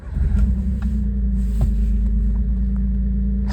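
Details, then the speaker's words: 1998 Suzuki Jimny K6A turbo, about 124,000 km, cold start: deep, steady rumble at a slightly raised cold idle, even firing with no knocks or misses; healthy. "Okay, so this is its cold start. It is going to uh idle a little bit higher because again it is cold."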